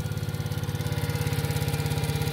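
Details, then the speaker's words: Kazuma Meerkat 50cc ATV just after an electric start, warming on choke: the small single putters at a fast, even beat of about fifteen pulses a second, steady with no misses. Normal idle on choke. "hit the button then that's all she wrote fires right up"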